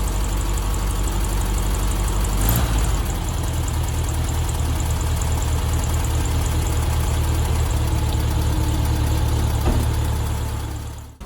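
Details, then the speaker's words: 1972 VW Beetle 1200, cold start before oil change after valve timing recheck, warming up about five minutes: steady even low putter at idle, no misses or knocks; sounds much better, normal idle. "wow it's already here just how much better it sounds um yeah i'm gonna let that run for about five minutes just so it warms up"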